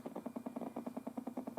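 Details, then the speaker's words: FPGA board with D/A converter feeding audio amplifier, powered over USB from computer: buzzy pulsing tone about nine beats per second over the test tone, changing with mouse movement or compiling; noise from computer power supply. "an important clue as to where this is coming from happens when i move the mouse around or if i start compiling so what's happening is that the noise is coming from the computer's power supply"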